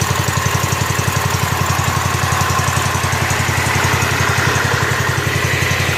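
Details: Rebuilt Kohler K241 10 hp single-cylinder from a John Deere 210 garden tractor, muffler hung on with wire, fed by tube in gas can: even thump about 220 a minute, steady, no misses or knocks; normal idle.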